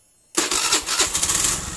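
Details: Honda Beat injection scooter with hard-starting and a constantly humming fuel pump catches on the starter and settles into idle; the fault is traced to a weak ECU ground (mass) circuit on the fuel pump's brown/black-stripe wire, and no ECU replacement is needed.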